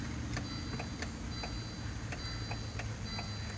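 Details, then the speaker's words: Car sunroof motor clicking sharply about twice a second over a low hum; the motor is to be swapped for another to compare. "hear it clicking let me try to replace the motor see if the motor does any better"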